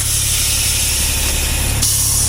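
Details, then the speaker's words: Kenworth C500 truck winch: steady coarse grinding with a deep rumble and hiss as the drum turns, dry inside from lack of lubrication. "The drum is dry inside. So, it literally is grinding. That's what that noise was."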